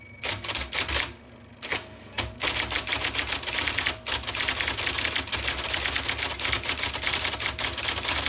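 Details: 1979 IBM Selectric II (non-correcting) typewriter, restored after a miswired plug, cleaning, flushing and lubrication: rapid crisp strikes in quick bursts with a short pause, even and snappy throughout; normal typing.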